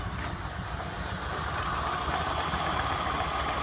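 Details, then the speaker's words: Early 1928 Ford Model A Tudor sedan, warmed up after a drive, after installing new Aries muffler exhaust: steady low burble at slow even idle, soft uniform exhaust note, no leaks; sounds great. "And boy, she's idling down nice now. And you can hear it. Sounds wonderful. Boy, that sounds great."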